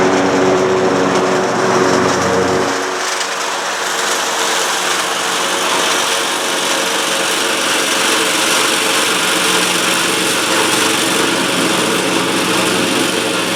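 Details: Cub Cadet Ultima ZT2 zero-turn mower with 60-in deck, final test on the grass after multiple repairs including fuel pump and carburetor: steady, even drone at working speed with no misses, knocks or surging; normal running.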